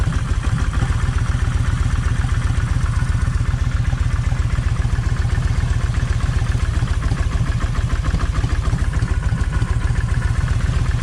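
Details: Kawasaki Vulcan 1600 V-twin idling lumpy and uneven, firing pulses stumbling and dropping out as one cylinder misses; wet plug found, owner suspects coil or coil wire and swaps plug wires to test; cylinder misfire.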